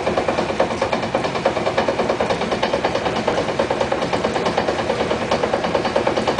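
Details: 1956 Chrysler New Yorker idling in neutral with all four wheels off the ground: steady dull dong-dong knock about three per second, felt as floor vibration, stops when handbrake pulled or brake pedal pressed; on road heard only coasting near downshift speed; source unknown.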